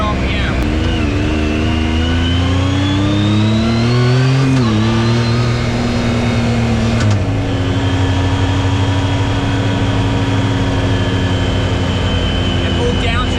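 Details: 2019 Yamaha YXZ1000R SS side-by-side, 5-speed sequential paddle-shift gearbox, neighborhood drive: engine climbs through each gear with a clear high whine rising and dropping on the shifts; normal sequential gearbox whine.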